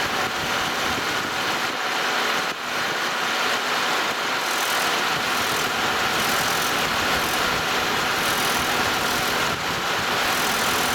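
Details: 2006 Chevrolet Malibu idling: thin tinny metallic buzz from a loose exhaust heat shield, previously fixed with a screw-type hose clamp now too rusty to tighten further.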